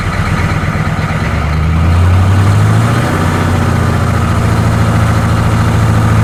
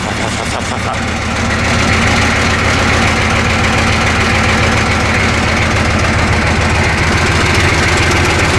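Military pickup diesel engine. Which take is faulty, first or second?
second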